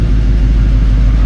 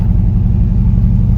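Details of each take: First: LS-swapped Chevrolet C10 idling warm while coolant is filled: a deep, even idle rumble with a steady rushing hum. Fan one has come on, and fan two switches on at about 205°F as it should. Normal cooling fan operation. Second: Dad's Chevy C10 after an LS V8 swap with a self-rebuilt transmission, test drive in second gear: deep V8 rumble lacking punch with an uneven beat, a miss under load; owner suspects bad fuel trim from a massive exhaust leak, unconfirmed.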